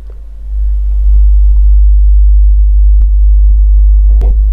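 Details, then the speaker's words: Assembled audio amplifier, subwoofer channel heard through earphone: steady deep rhythmless mains hum; ground looping and ungrounded metal chassis cause the hum, which changes when metal is touched. "मैं आपको दिखाऊंगा कि assemble किए गए एम्पलीफायरों में हम्म का मुख्य कारण ग्राउंड लूपिंग है"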